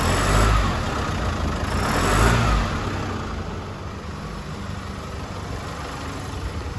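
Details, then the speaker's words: 2016 Chevrolet S10 2.8 diesel, nearly 150,000 km: sewing-machine-like clatter at idle that swells on acceleration and stops off throttle, from a failing high-pressure fuel pump; the only fix is replacing the pump. "em aceleração e acaba sendo muito agravante mesmo Esse barulho tá esse barulho nada mais é do que é proveniente da bomba de alta pressão localizada bem ali né"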